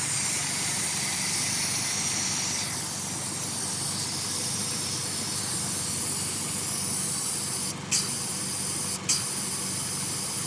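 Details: 2000 Honda Civic Si with B16A2/B20 block idling: steady high airy hiss as air is sucked through a small black part into the intake manifold, sometimes stalling at idle; the hiss stops with tubing fitted.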